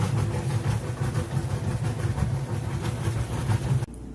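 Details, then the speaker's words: Kenmore top-load washer on slow agitation setting for delicates: low, slow rhythmic churning with even surges and no grinding or knocking; agitating normally. "you can also switch it down to slow which you get a real slow agitation like I said for those delicates"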